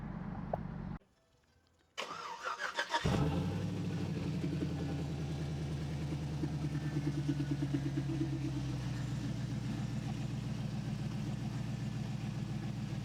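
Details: 2007 GMC Sierra Classic with a swapped-in LS V8, first start; a throttle position sensor and tach module issue was being chased. Short crank, catches at once, high fast idle easing to a steady, even V8 rumble with no misses. Normal start and idle.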